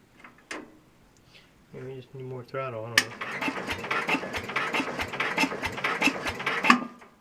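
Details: Super 12 hydro small engine, cold start after sitting, possibly never fueled; owner suspects empty tank. Starter churns fast and steady several seconds, never catches: cranks but won't start, cause unconfirmed.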